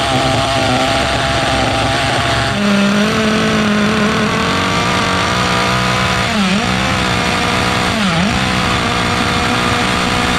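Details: Restored 2006 OFNA Mutillator nitro RC buggy on first run, idle being tuned: high buzzy engine revving up and down with burbly, soft dips; mixture rich, needs leaning out.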